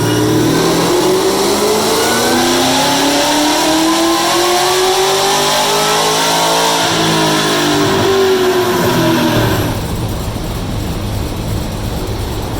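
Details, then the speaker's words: 2016 Cadillac CTS-V supercharged V8, after blown transmission caused by bad tune, retuned, dyno pull on pump gas making 790 hp; smooth pull with rising supercharger whine, no misses or knock. Normal full-throttle run. "so a pump gas she made an astounding 790 horsepower and then when we switched over to the 85 and this is only on like 14 pounds of boost maybe 15 depending when hoodlum she picked up thirty more horsepower after"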